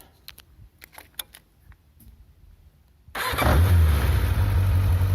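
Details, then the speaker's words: 1994 Yamaha 600 Diversion, cold start; cam chain has no tensioner and valve clearances need adjusting: after a few clicks it catches and idles with light fast ticking; valve clatter, heavy when cold and inaudible when warm. "Bon, si on entend quand même les soupapes, parce que j'ai un jeu aux soupapes à faire. À froid, elle cliquette énormément."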